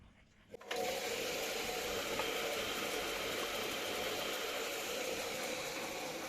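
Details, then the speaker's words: Siemens washing machine, drum spinning during a test program after a temporary fix to the drum; harsh steady grinding hiss with a faint hum. The bearings sound broken up and need replacing, and the motor brushes are also suspected worn. "Bilyeler dağılmış gibi. Bakın bu ses hiç iyi değil. Bilyelerde sorun var gibi."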